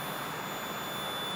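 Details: Multimeter continuity test on a floor sanding machine or edger extension cord, probes on the plug's ground tines. A steady, unbroken high-pitched beep shows the ground conductor is continuous.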